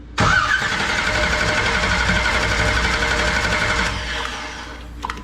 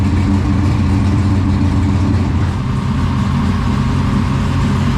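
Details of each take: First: 1969 Camaro with 496 big-block, first start: about four seconds of steady, even starter cranking with no firing; engine turns over freely but carburetor is still dry, fuel system not yet primed. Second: 1969 Camaro pro touring, big-block 496 previously broken in on a run stand, first start in the car with new exhaust, cutouts open: deep loud lumpy burble, steady lope; healthy normal idle and revs.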